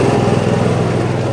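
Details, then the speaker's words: Newly installed RV generator on a 1976 GMC Motorhome, heard at its already-rusted exhaust pipe outlet; steady, even small-engine drone with no misses, knocks or surging, pretty quiet: normal running. "coming out right there pipe's already rusted i probably should have coated it but pretty quiet now"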